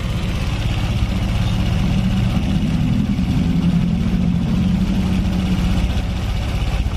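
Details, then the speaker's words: Honda Vario Techno 125 injection scooter, idle speed noted as too low; steady, even low idle with smooth beat and no knocking; normal idle, though a tok-tok noise from the box was mentioned. "Tuh. Ya, tuh. Mesinnya lembut."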